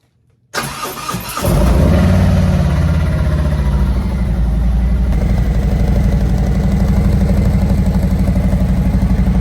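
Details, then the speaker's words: 2018 Harley-Davidson Road Glide Special Milwaukee-Eight, stock before cam, exhaust and intake upgrades: quick crank, catches and settles into an even loping thump about four beats a second; normal stock V-twin idle. "Let's give this bike a start so you can hear what it sounds like stock without cams and without the exhaust."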